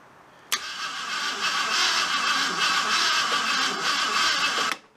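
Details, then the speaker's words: 1975 AMC Matador Oleg Cassini, sat 30+ years, new spark plugs fitted, checking for spark: starter cranks engine at a steady even churn about four seconds, good compression, but won't fire; owner suspects bad distributor cap or ignition box. "nothing okay this does not surprise me because the cap looks nasty as i'll get out and i should have bought a cap but that's on me of course i don't even know if this ignition box is uh any good but it definitely sounds like it's got compression when it cranks over so that's a good thing"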